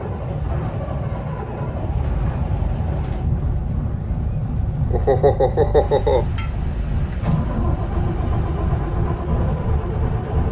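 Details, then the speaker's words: 25-year-old Volvo mechanical diesels on a 2000 Pursuit 3400 boat, first start after a long cold winter: uneven starter cranking, then the engine catches and settles into a rough, clattery cold run. It's cranky but it starts. "neutral oh cranky oh yeah mechanical diesels for you"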